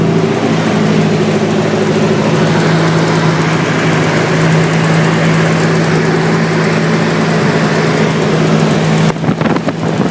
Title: s14 sr lifter tick?